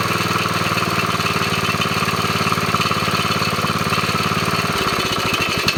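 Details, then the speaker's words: Briggs & Stratton mower engine fitted with a chainsaw compression relief valve and a muffler resealed with JB Weld. Compression relief is audible at start, then a quick, even chug at steady speed and a brief change at shutdown; normal running. "if you also listen when I start you can hear the compression being relieved and then uh sometimes when you cut it off you might hear a little backfire but uh this one's doing really good"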